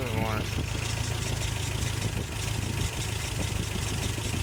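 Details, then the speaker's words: 1988 Toyota Pickup 22R, Aisin carburetor, after timing chain, water pump and oil pump replacement: low steady idle with even beat, no ticking or knocking; earlier kept shutting off, now running smooth. "i'm doing fine now kept shutting off earlier it's been really good actually"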